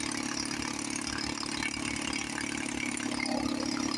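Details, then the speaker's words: 1954 Johnson 5.5 HP two-stroke outboard, running after about 60 years, after magneto reinstall and carburetor rebuild, with water running: quick, even crackle at idle with no misses or surging; running smooth and healthy. "Wow, she sounds really good. I just adjust the low speed."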